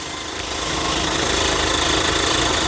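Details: JAC J6 after clutch replacement (previously screaming from a suspected disintegrated release bearing/pressure plate), engine bay, warm after road test: steady idle with clutch pedal pressed, even hiss, no squeal or scraping; normal.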